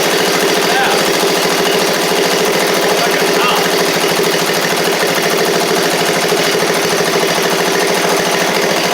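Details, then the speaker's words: Seven-year-old MTD-built Murray riding mower after repairs, oil slightly low, first run: steady, even small-engine running at constant speed with no misses or knocks, runs like a top; possible water noticed afterwards. "make sure it moves forward and backwards here that's nice man that thing runs like a top"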